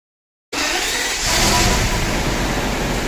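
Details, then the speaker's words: 1998 Mercedes S600 V12 coupe (C140) at idle, checking a loose fuse: lumpy, uneven idle with hollow chuffing beat under heavy hiss, as if running on only a few cylinders; one cylinder bank misfiring. "We'll show you guys if it continues to idle the way it was. It basically feels like it's running on just a few cylinders."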